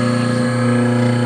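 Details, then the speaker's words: Three-phase electric motor run on single-phase supply with a roughly 35 µF, 270 V run capacitor across phases, no VFD or converter: steady hum with a clear constant tone, no knocks or grinding, sounds like a proper three-phase motor. Normal running. "I mean the motor sound right that's way a three-phase motor sounds when they're"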